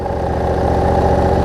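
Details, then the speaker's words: Cub Cadet zero-turn mower Briggs V-twin after fixing rich running, wiring, charging and governor issues; slight surge on start then smooth, even low throb at steady idle, no misses or hunting; idling properly. "you can kind of hear it served a little bit when you start but that's about the rpm it needs to be it idles down really well too"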